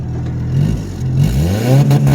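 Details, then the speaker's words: Honda Civic with F23A engine on its first drive, no idle air control valve, possibly tune-related partial-throttle issues, testing two-step: engine holds high revs, then stutters and pops in quick, even cuts. The launch limiter works properly. "out yep it works oh yeah well I mean it works that's that's about all I can say about it at the moment at least here"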